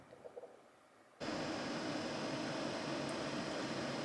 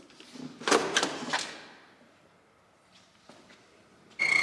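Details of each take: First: BMW E30 heater blower after greasing its squeaky bearings: after near silence, it starts with a steady smooth rush of air and no squeal; noise fixed. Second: BMW E30 heater blower: steady high squeal rising as the fan spins, the part making the ventilation squeak; typical of dry, slightly seized bearings. Blower fan bearing squeal.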